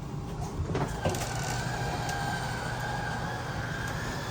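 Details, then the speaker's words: Thor Palazzo RV on shore power, passenger-side bedroom slide-out fully retracted, then press out and hold in: steady motor hum with faint even whine as the motors synchronize, no grinding or straining; normal slide-out operation. "We're going to listen for that noise. That's the motor synchronizing."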